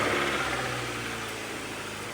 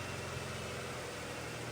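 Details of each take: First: Honda CR-V after a flood and an engine swap, first start with a newly installed untested snorkel: the engine settles into an even, steady idle with a smooth low hum and no knocks or misses; it runs healthy. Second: Honda CR-V after a flood and an engine swap, snorkel inlet blocked to test the seal: a steady, slightly strained idle with an airy rushing hiss; the engine is running on very little air but not stalling.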